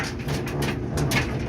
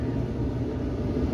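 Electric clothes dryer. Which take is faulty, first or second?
first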